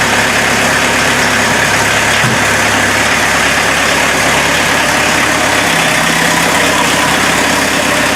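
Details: VW diesel-powered Mazda B1800 / Ford Courier started after about five months sitting, with no proper exhaust yet: steady even diesel clatter at idle with a loud raw exhaust edge, no misses or knocks; healthy idle.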